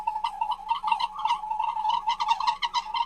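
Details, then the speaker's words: Car with a rapid, croaky rattle over a steady mid-pitched hum; customer changed several parts without cure, and the shop located the noise, planning to check its gear oil first. "जब ये अल शरीफ ऑटो पे आई तो हमने क्या देखा, इस गाड़ी की इस जगह से आवाज आ रही है। तो इस आवाज को खत्म करने के लिए हमने क्या करना है, एक तो इस गाड़ी का गियर ऑयल हमने चेक करना है।"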